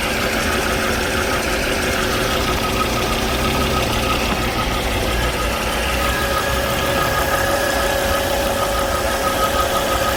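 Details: Volvo C30 petrol engine idling with a thin, steady whistle riding over it, from a failed crankcase breather (PCV) valve; noise persisted through several earlier repairs.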